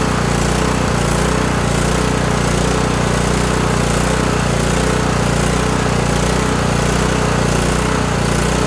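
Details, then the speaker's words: Kohler Courage 18 twin-cylinder engine on a Toro lawn tractor surging badly at idle, a loose wavering beat about three pulses a second with the governor linkage rod rocking; lean idle mixture, carburetor has a non-adjustable jet, before low idle screw adjustment. "this engine likes to just surge like crazy so let me fire it up and show you what i'm talking about"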